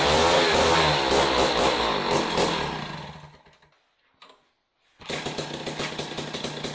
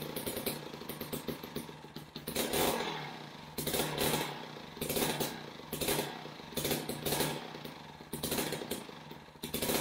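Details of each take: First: Jiffy Model 30 ice auger, unused several years, last run on ethanol gasoline, on premix after choke and prime: small two-stroke buzzes high and rough, drops briefly, recovers and keeps running on the carburetor, breaking up slightly (four-stroking). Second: Older Jiffy Model 30 ice auger (about 8 in) unused for several years, last run on ethanol gasoline, now on premixed fuel after choke and prime; idle surges and sags about once a second and won't hold steady, before the idle screw adjustment.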